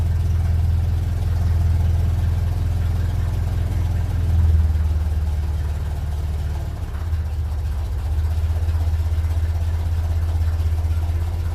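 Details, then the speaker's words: 1957 Ferguson 35 TVO tractor warming up, carburetor mixture screw being adjusted: slow, deep idle of roughly 500–600 rpm, now firing evenly on all cylinders; an undersized fan belt is heard screeching. "but she's definitely firing in all cylinders there now anyway"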